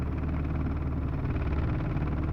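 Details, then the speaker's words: 2003 Dodge Cummins diesel, injectors tested good: deep idle with an uneven, stumbling beat, misfiring and shaking hard; barely revs when floored; dealer suspects a bad computer. "Anybody ever seen a diesel run like that? The truck is actually shaking pretty hard."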